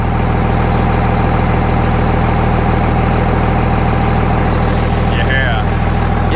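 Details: 2000 Dodge Ram 3500 dually, 5.9L 24V Cummins with mechanical injection and new injectors, started after charging the battery: cold start settles into a steady, even diesel idle clatter about three beats per second; normal.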